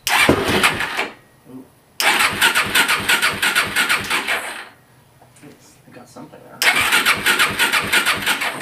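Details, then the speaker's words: Suzuki LT-R 450 quad, cranking but no start; mechanic believes the CDI is fried since he only ever gets one spark, after testing and cleaning the coil; starter turns fine, engine never catches. "i believe the cdi is bad because no matter what i do i can only get one spark and that usually means a fried cdi"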